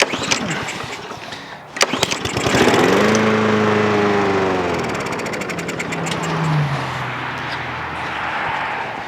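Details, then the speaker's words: Lawn mower in 10° cold, Honda engine with NGK plug, cranks, catches and runs briefly with wavering pitch then dies; running-and-dying judged fuel related despite the earlier trick. "so running and dying is fuel related for sure so that keer trick worked but it didn't work"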